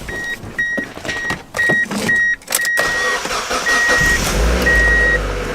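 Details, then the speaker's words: Mazda Miata that kept shredding serpentine belts, after the fix and with the belly pan off: a chime beeps about once a second, then the engine catches and settles into an even idle with no belt squeal; normal start and idle. "everything appears okay"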